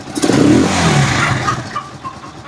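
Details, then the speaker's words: Rusi Chariot 175 trike after a week unused, fitted with the original stock spark plug: a sharp throttle blip climbs cleanly and settles back without misses or knocks. It runs healthy. "Ang ganda pa ng andar niya."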